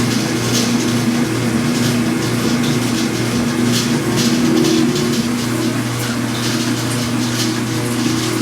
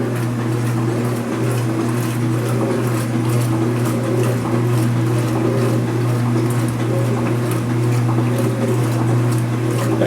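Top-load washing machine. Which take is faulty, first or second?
first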